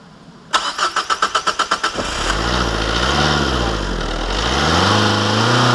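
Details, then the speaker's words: Renault Clio 2 1.5 dCi diesel just after a fuel filter replacement: it cranks in quick even pulses, about four a second, then starts and settles into a smooth, steady idle; normal start. "Et voilà, tout va bien, ça tourne."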